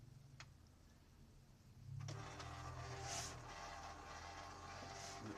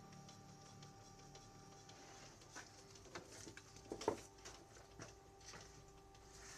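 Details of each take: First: Canon G2000 printer making a loud, rough mechanical whirr with rattling while printing, caused by dried-out grease on the moving parts; fix is applying white grease. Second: Canon G2000 printer after cleaning and regreasing dried grease on print head carriage and gears with white grease: soft whir with scattered light clicks, no grinding; now running quietly and normally.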